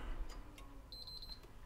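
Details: Backwards-compatible PS3 (CECHC03) powered on: green light, then short, high-pitched, quick beeps and the console shuts itself down; yellow light of death suspected, not confirmed.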